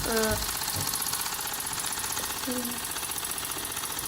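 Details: Wilesco toy steam engine, fired up again after five years, running very fast: a quick, light, even chuffing tick over a hissy background; healthy at speed before it later runs out of steam.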